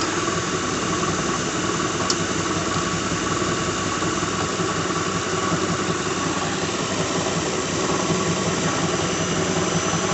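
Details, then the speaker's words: 2006 Lincoln Town Car, just started cold: steady idle with whirring, dry rattle and occasional knock; owner identifies a bad harmonic balancer after replacing coil packs, plugs, idler and tensioner pulleys, alternator, belt, oil and cam sensor without change. "You can hear it now as I just started it, but it is a harmonic balancer. I'll start doing it after it warms up a little bit. You can hear it rattling right now."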